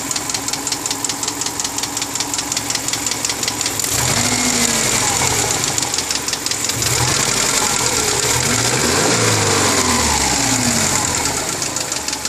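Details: 2002 Subaru Forester, 333,000 km, meticulously maintained, at idle; sharp regular tapping about three times a second holding through small rev changes; owner asks if piston slap, mechanical knock unconfirmed.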